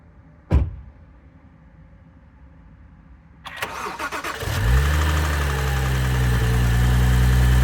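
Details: 2012 BMW 135i M Sport (F20/F21), 2979 cc N55 petrol, 306 hp, 99,000 km: engine cranks, catches and settles to idle with a steady, regular low knock riding the idle beat. Bearing damage.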